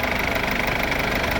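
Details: Mercedes W212 with OM651 diesel, just started after repairing engine oil leaking into the coolant, with new hoses: even diesel clatter at steady idle, no misses or surging; runs smoothly.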